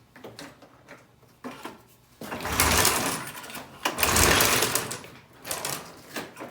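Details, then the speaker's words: 1996 Ski-Doo Formula 3 600 two-stroke snowmobile, cold start without choke days after refitting a cleaned carb whose needle wasn't seating: quiet lead-in, catches and rasps into quickly rising revs with no stumbling; clean cold start. "A couple days later, I got that carb in. All buttoned up. See how it starts? Cold. A couple days later, no choke."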